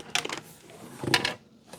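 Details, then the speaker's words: VTEK TM-50 manual SMD taping machine controller, unboxed and tilted by hand: bursts of light metallic rattling with quiet in between. A loose part is rattling inside the case. "let's open this up see what's rattling wait no it's not Ratt there it is yeah something's rattling"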